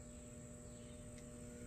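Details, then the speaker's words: Battery charger connected to a Craftsman LT3000 lawnmower's badly corroded battery: faint steady low electrical buzz; owner suspects it is not charging because the battery is dead. "I don't even think this is even charging I don't want to mess with it to their much because it's not my charger so you can hear it buzzing and whatnot"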